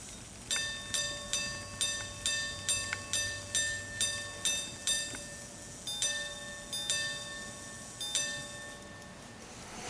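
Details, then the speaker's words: 1800s Swiss silver clock watch by Bordier, Geneva, striking in passing as minute hand passes 9, two steel wire gongs, separate striking-train barrel; eleven clear evenly spaced hour strikes then three ding-dong quarter pairs, striking works properly. "and then it should on its own sound out 11 hours and three-quarter hours at the point when it just passes the minute hand just passes the 9"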